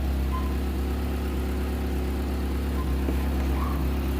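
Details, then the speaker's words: 1997 Fiat Palio 8v after replacing noisy old water pump: low, smooth, even idle hum with no whine, rattle or bearing growl; pump noise gone, engine idling normally. "Deixa eu dar partida. Travou o barulho. Ele já era."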